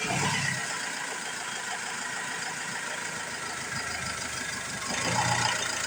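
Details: Ford Transit Mk7 2.2 TDCi idling unevenly, the beat wavering and dipping as if about to stall, with a surge near the end, and no check engine light. Fuel-related parts, air sensors, crank sensor, filter and EGR valve have been replaced; the cause is unclear and the owner is looking at pump prices.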